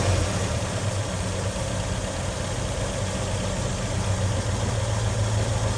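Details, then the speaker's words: 1965 Ford Mustang 289 V8 barn find, parked 29 years, after priming: it runs off the fuel left in the carburettor with the fuel line still disconnected and the points making contact. It gives a steady, even low rumble at idle with no knocks or misses. "running like top. All right. So, it runs off the fuel in the carb."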